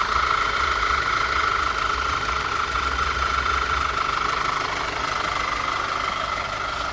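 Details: 2009 Audi A4 turbo after AMSOIL engine flush and oil change with 5W-40 synthetic: smooth, steady idle with a faint high whistle, no knocking or stumbling; engine running evenly.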